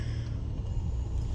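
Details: Mitsubishi Pajero 3.8 V6 gasoline, which lacked power with exhaust backfire, started after fuel pump assembly replacement; steady, even low idle rumble with no misses, pops or stumbles, sounding healthy.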